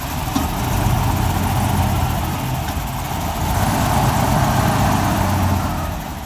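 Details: Cold-start BMW V12 at idle, uneven loping, sputtering beat with occasional stumbles; owner suspects leaking intake manifold gaskets and possibly a light head gasket leak (coolant dropping, steaming); cause not confirmed.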